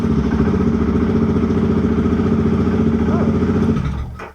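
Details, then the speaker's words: BMW F650GS single-cylinder, brief first start after oil tank/air box bolt replacement and coolant refill: catches at once, thumps evenly with no misses or clatter, then switched off; healthy start. "well that was good wasn't it i didn't actually expect her to start so quickly"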